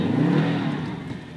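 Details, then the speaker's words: Subaru WRX manual with custom downpipe, clutch pedal fully released while trying to drive: revs flare up then slowly sag with no drive taken up; clutch slipping, not grabbing at all (smoked clutch). "yeah that revving that clutch is all the way released right there and it uh it's just not grabbing at all"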